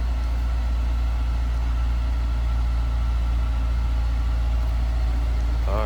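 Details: 2001 Honda S2000, 2.0L, 69,151 miles, heard from the rear: even, steady exhaust burble at idle, no misses or rattles; sounds stock and healthy.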